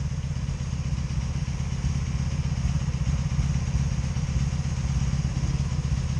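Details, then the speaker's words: 2002 Honda Magna VF750C at idle after the ignition coils were replaced: an uneven, stumbling idle with a loose irregular beat. The misfire is felt on all four cylinders, alongside backfiring, and the owner suspects the CDI box. "I got a misfire here damn I got a misfire here so both of this I'm getting misfires I'm getting it up here that's about it"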